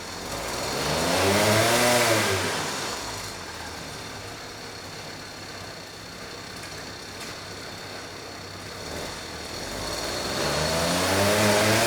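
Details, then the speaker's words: Vintage Huffy two-stroke bike on a trainer, unloaded and not fully warmed up, just started by pedaling: revs climb cleanly, ease back and rise again with no rattle or misfire; sounds healthy, carb jetting possibly slightly off. "so you know the engine sounds healthy uh the jetting on the carb might be a little bit off"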